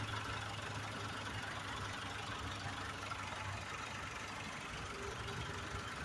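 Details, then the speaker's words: Blue PT Cruiser, warm idle while waiting for radiator fan to cycle over heat-needle concern: steady, even idle, smooth low hum, no misses or knocks, no smoke or overheating; normal. "Nothing smoking or overheating or anything of the sort. I want to hear this little fan kick on. See any free circulating oil? Everything appears to be working as it should."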